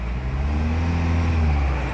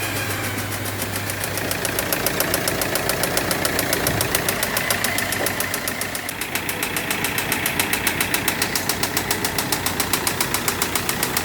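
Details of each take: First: Audi Q3 diesel after full engine work: it revs up smoothly to full rpm and holds a steady deep hum with no knocking or rattle. Earlier knocking and black smoke came from broken parts choking an oil passage; now fixed. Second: Audi Q3 diesel idling before repair, emitting heavy black smoke: rough uneven knock about three or four times a second; injector check found the first not working and the third partly working.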